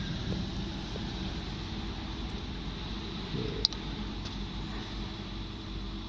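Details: 2014 Mitsubishi Outlander ZJ ES AWD automatic with a 2.4 4J12 engine and 99,521 km, at a quiet, smooth low idle with a faint fan whir and no ticking or knocking; a healthy-sounding four-cylinder.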